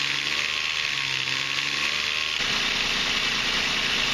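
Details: Infiniti/Maxima engine right after water pump and timing chain tensioner replacement with oil change: loud metallic rattle and clatter at start-up.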